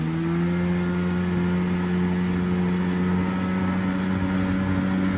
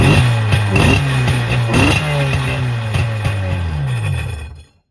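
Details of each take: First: 1996 Tigershark jet ski two-stroke, revived from non-running, warming at idle from a cold start while cooling water lines are checked. A steady burble holding an even pitch with no misses, surges or knocks: a normal idle. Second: 1996 Tigershark jet ski two-stroke, bought non-running, fuel lines disconnected and a little gas poured down the carb throat with no choke. It rasps and revs briefly, then dies after about four seconds, running on primer fuel only because the fuel pump isn't delivering.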